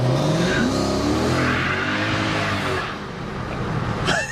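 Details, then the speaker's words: Project bakkie with newly fitted V8 engine and exhaust on first test drive: revs climb fast under hard throttle with rising whine and tyre hiss as rear wheels spin, tire smoke from the back. "Okay. That's tire smoke. That is tire smoke coming out the back of the Bakkie. And the Bakkie is wheel spinning a lot at the moment."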